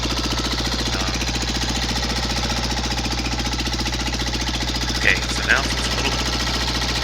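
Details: Cub Cadet Model 123 single-cylinder engine being rebuilt, idling with muffler removed; smoke seen, oil burning suspected. Steady, rapid knock rides evenly over the idle, still present without muffler, loudest low on the engine; source not yet pinned down.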